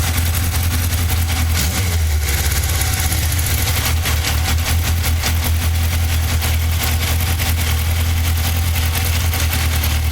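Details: Yamaha XJR 1200 four-cylinder idling: steady low thrum with a faint busy clatter on top; cause unclear; abnormal engine noise at idle.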